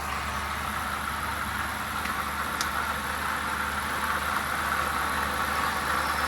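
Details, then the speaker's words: 2008 BMW 750Li N62 V8 after replacing ignition coil packs for misfire and rough idle: smooth, even idle with steady low hum and no stumbling. "Damn, that [ __ ] cleared right up, son."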